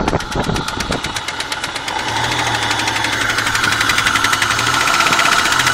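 Sharp, regular ticking knock at roughly four per second riding over a steady idle: a clear knock from inside the engine.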